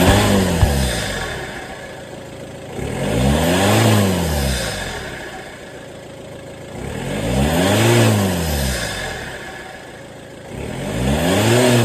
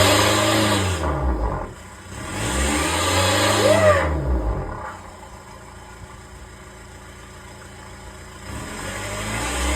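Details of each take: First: VW Touran TDI diesel after swapping a faulty reconditioned turbo for a scrapyard one to fix a boost problem: idle, then three clean blips rising and falling smoothly with no knocks or whistle; running healthy. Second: VW Touran TDI diesel with a reconditioned turbo and a boost problem, revved in the garage after a caliper change: revs rise and fall with a short rising squeal over one rev, put down to the turbine wheel; a loose washer rubbing inside. Fixed by fitting a breaker-yard turbo.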